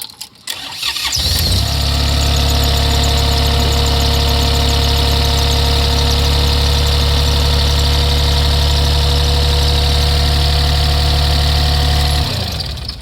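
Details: Kobelco 30 excavator diesel after air filter attention for its warning light: cranks, catches at once and settles into a steady, even idle before shutting down; warning light stays off, engine sounds healthy.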